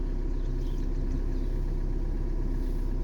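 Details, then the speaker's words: 2013 VW Jetta TDI diesel idling in park: steady knock about twice a second over a low rumble. Attributed to a worn timing belt tensioner and stretched belt, timing off; noise stops in drive as added load tensions the belt. "That put more pressure on the engine, and the tensioner stretch more, and it makes it stop."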